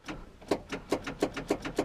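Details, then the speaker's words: Starter clicks about three to four times a second and the engine never cranks, with a fully charged good battery. The clicking comes from the starter, which is either bound against the flywheel or failed and due for replacement. "you hear is clicking and it's from the starter down there"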